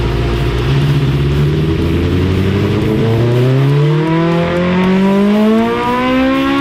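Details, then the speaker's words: Dyno pull on a 1987 Suzuki GSX-R 1100 carbureted four after carb cleaning and rejetting: clean, steady rise through the revs with no misses or flat spots; the last run was smooth, the one before a bit choppy, air/fuel good. "did you hear how the last run was smooth it was good yeah good and the other run before that it was just kind of Chucky but good impact the air/fuel grapples good"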